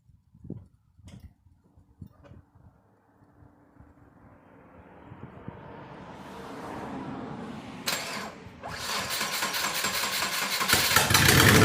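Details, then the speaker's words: Subaru 2.5RS coupe: engine starts and settles into a loud, raspy idle with fast, steady puffing from a bad exhaust leak at the header, which is to be replaced. "so you want to hear how bad the exhaust leak is in this thing you really get to understand why I want to change the header out it's loud"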